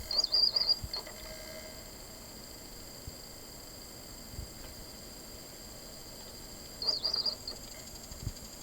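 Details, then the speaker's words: Toshiba Aurex AX-WSS60 compact system playing a CD, recorded by microphone from the unit itself: a thin, steady high whine from the spinning disc with brief high pulses as the laser head seeks. It is an unusually noisy CD mechanism. "CDの回転によるノイズは、CDプレーヤー特有の高音のうなり音で、時折、頭をある位置から次の位置へ動かす際に発生する非常に短い高音のパルス音が聞こえます。"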